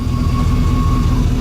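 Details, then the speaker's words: 2006 Ford F-150 returnless fuel system, intermittent low power/lean: idling engine with thin steady high fuel-pump whine as pump duty cycle is commanded up to 100% via scan tool; pump gets noisy, pump oddly drops off at 100%. "That pump gets noisy. Did you guys hear that? When I go 100%, the pump just drops off. That's very weird."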